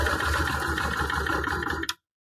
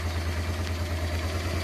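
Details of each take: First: Honda Transalp twin, idle mixture screw closed half a turn on one carburetor: fast, uneven idle chugs then stalls after about two seconds because the mixture is too lean; opening the screw fixes it. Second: Honda Transalp carbureted V-twin after setting both air-fuel mixture screws to factory 2.5 turns out to cure rough idle: even, steady low idle thump with no hunting or misses; idling healthy.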